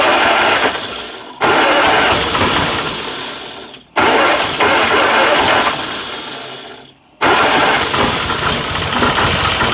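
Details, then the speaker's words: 1962 Austin Healey Sprite Mk2 with the 948cc engine, first start in over 40 years: it catches and revs hard, then sags and nearly dies three times in ten seconds; it won't settle to a steady idle. "Nothing wrong with that. Holy This doesn't quite want to idle, but Woo!"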